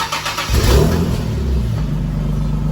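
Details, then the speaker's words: Infiniti G37S V6 with headers and exhaust test pipes: startup settling into a loud, raw idle with an exhaust leak from the cheap gaskets supplied with the test pipes, before replacement with OEM gaskets. "hey we have this g37 s it's got a exhaust li put some header some exhaust test pipes on it and now the gasket they came with its making noise"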